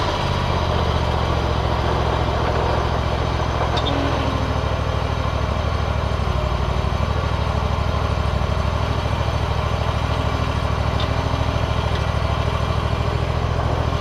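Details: John Deere ZTrak Z915E, Kohler V-twin, sat 2 years; after carb clean fixed a sticky solenoid causing no fuel. Warm engine gives an even thrum at constant speed, no hunting; normal running.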